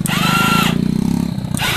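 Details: Honda Vario/Beat scooter after starter repair via jumper: quick rhythmic cranking pulses with ignition on and brake pulled lead straight into engine catching and running; starter engages and turns cleanly, fixed.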